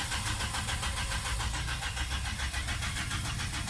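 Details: 2004 Ford Escape with a crank-no-start condition; the scan shows code P0320 ignition-related. Steady, even starter chugging at a normal cranking rate for four seconds, but the engine never catches or fires.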